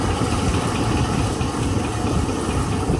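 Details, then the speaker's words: 2001 GMC Sierra LS V8 whose AC compressor area rattles when engaged: AC switched off, rattle disappears almost immediately, leaving steady smooth idle; AC belt tensioner or compressor suspected; normal idle. "You can hear the rattle go away almost immediately. Yep."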